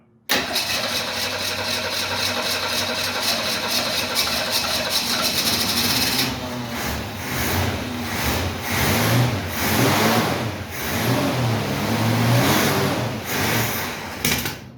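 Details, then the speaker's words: 1968 Mustang primed with fresh gas from a bottle: brief crank, catches and settles into a steady, slightly lumpy idle with revving, smoking as old gas burns off. Owner thinks the carburetor may need work. "Yeah, but it's running. That's freaking good news. And it sounds good."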